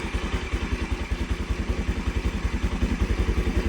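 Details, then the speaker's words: NS200 single-cylinder after DIY tune-up: steady idle with a light even tick about 2.5 per second, no heavy clatter; loud ticking heard before is gone, remaining tick described as normal. "Ngayon ito na lang maingay. Natural na yan ang lagatik. Hindi na yan nung kagaya nung kanina."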